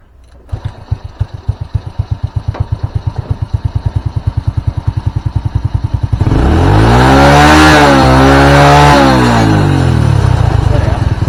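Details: Old Honda Supra carbureted motorcycle, previously over-rich with black plugs, black smoke at mid-high revs and hard morning starts, after replacing the needle, pilot jet and main-jet seat with idle set near 1300 rpm: an even putter of about three and a half beats a second holds steady, then a clean rev up and back down, a healthy stable idle.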